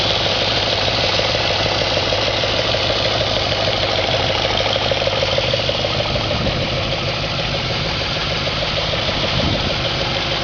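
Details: 2004 Audi S4 4.2L V8 at idle: a fast, fairly even knock of about three per second over a steady idle. Cause of the knock unknown.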